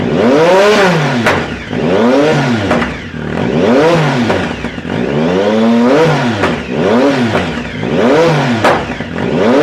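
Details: 2010 Triumph Speed Triple SE with new untuned Competition Werkes exhaust, SAI block-offs not installed: revs sweep up and down about every two seconds with sharp pops and crackles on throttle close; backfiring on overrun, cause suspected, not confirmed.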